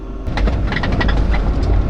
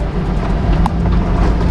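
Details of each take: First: That's just terrible. That's what my rooftop sounds like. And it's just not on the trail. It's terrible. Driving it just squeaks a lot. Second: SUV with roof rack and rooftop tent, after fitting neoprene rubber: steady low road rumble while driving with no squeaks; some tool noise from the back; formerly squeaked badly, rack or tent unsure.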